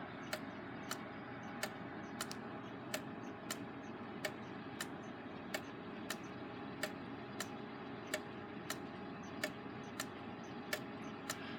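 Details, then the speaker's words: Gilbert long-drop octagon clock, rehung after rebuild: ticking about 46 a minute with a limping beat, lingering longer on the exit pallet than the entry; out of beat, to be adjusted by bending the rod. The escape wheel may be slightly out of round. "like it's lingering a little longer on the exit palette than the entry palette so we might give it a little bit of adjustment here"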